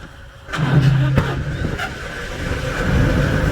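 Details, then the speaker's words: Caterpillar 3306 diesel after a misfire repair: the engine picks up and settles into a firm, even low rumble while carrying load, with no stumbling beats; it now runs healthy. "again sounds a lot better so there you go it's running carrying load sounds a lot better that was the problem"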